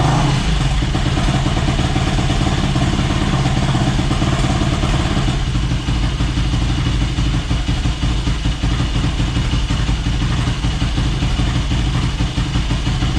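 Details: Yamaha YFZ450 (about 2006) on a stand with new fuel line, tank on reserve: loud, steady single-cylinder thump at fast idle, even, no misses or knocks; airbox still off, fine tuning pending, fuel valve leaking.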